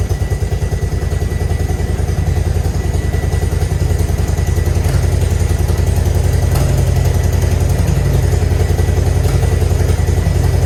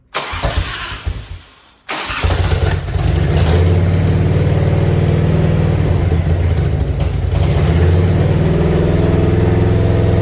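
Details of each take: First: Grandpa's Harley-Davidson V-twin, off the road 15+ years, idling after the ball fix: steady loping idle with an even potato-potato beat of about three to four pulses a second and no knocks. Better than before, though oil still aerates. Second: Grandpa's Harley-Davidson, off the road over 15 years, started again during restoration: catches after a short crank and settles into a lumpy uneven idle with irregular exhaust pops; owner says it needs fixing, cause unclear.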